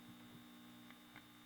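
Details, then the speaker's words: Kerenola Trav-Ler AM tube radio: quiet steady low buzz under faint crackle; about 100 µF filter capacitance pulls the hum down with no effect on station reception, suggesting hum induced elsewhere. "and it might be that there's a home induced in the circuit from something else and this higher microfarad is pulling it down see what that does to the station no effect on the station but a hundred pulls the home down"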